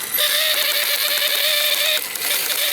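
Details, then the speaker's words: RC rock crawler Jeep ("Beater") rear axle on the bench, electric motor on 2S battery: fast, rattly gear chatter over motor whine with a brief break; bearing likely gave way so ring and pinion skip, locker possibly involved. "I'm gonna go ahead and say a bearing gave way and my ring and pinion are no longer making full contact."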